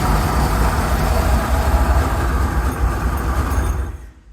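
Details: Rolls-Royce Silver Shadow engine with fresh gas, off the choke, after an ignition tune-up and new fuel filters; uneven idle rumble that sags and dies away: still stalling at idle.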